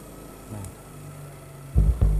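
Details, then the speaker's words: Lawega active speaker with one side dead or crackling. Touching the input of the good channel gives a quiet background hum, then deep, solid hum bursts: that channel is normal, and the fault is on the other side. "kita satu inputnya itu kondisinya suaranya itu seperti itu berarti normal or tidak ada masalah yang sebelah kanan dan sebelah sana"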